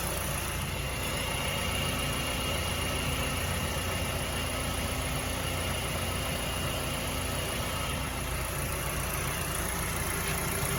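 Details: Mazda CX-7 2.3L petrol engine at steady idle with a dull rapid knock about three a second; teardown found badly worn rod bearings (low oil level blamed).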